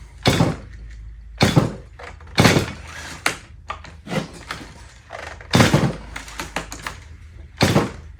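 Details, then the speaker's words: Stihl MS180 with E-Z start recoil, where a second spring coil builds tension to engage the flywheel on an easy pull. Repeated pulls give sharp rasping bursts with no catch or firing; the recoil starter is slipping, not engaging. "There it is. You guys hear that slipping in there?"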